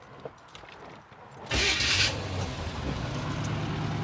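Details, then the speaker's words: 1983 Chevy van, carbureted V8, started after sitting about 3 months: quick crank, fires right up and settles into a steady, even idle with no misses or knocks; runs good. "Dude, it fires right up. Thing runs good."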